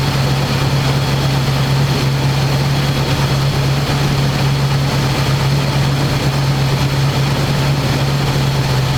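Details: 1985 square body truck, 454 big block V8, 4-speed, sitting 20 years, after refitting air cleaner and vacuum lines and adjusting idle screw: loud, deep, steady rumble, even idle, no stumbles or hunting. Normal smooth idle.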